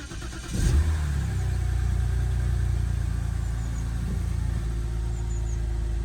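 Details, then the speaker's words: BMW E90 325i with the N52 engine, treated for rough idle, cold start after the O2 sensor wires were spliced. A quick crank, then a smooth, steady cold idle with no stumble; a check engine light and slightly hunting revs appeared afterwards. "Okay, it's cold starting at the moment. Let's check on the wires. The car is running good so far."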